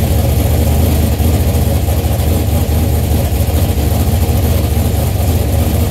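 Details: Transmission slipping in high gear: steady low engine drone with revving that doesn't seem to pull the car along.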